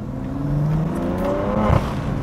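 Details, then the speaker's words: 2018 BMW F80 M3 during a hard pull: the engine climbs, then gives a short raspy, high-pitched farting splutter from the exhaust as the throttle is released. "That little noise in the when I let go of the gas. So as you heard, as I let go of the throttle, you could kind of hear that high pitch. I guess you could describe it as farting noise, but it doesn't sound that good."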